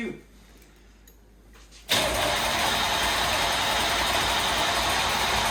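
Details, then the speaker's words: 1989 Chevy Camaro IROC-Z, 305 TPI LB9 V8, long-sitting non-running project car, fed starter fluid; quiet, then the engine catches and runs rough briefly; has spark. "so I think we got spark cuz she's yeah she wanted to start"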